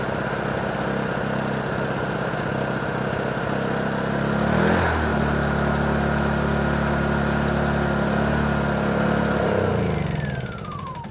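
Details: Honda EU2000i generator that only runs with the choke on, after a new spark plug: runs fairly steadily, then falters and drops away; not the spark plug, the dirty carburetor is the cause.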